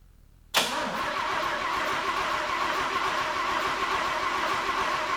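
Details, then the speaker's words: 1950 Willys Jeepster with a transplanted Chevy 194 inline six and a Rochester B carburetor, battery nearly dead: cranks with a steady drone but never catches; grounded ignition points, so no spark. "I put my timing light on number 1, as you are you know, a guy wants to do, and while I was cranking it, because I just wasn't getting anywhere, I would get a stumble and a little bit of fire every now and then."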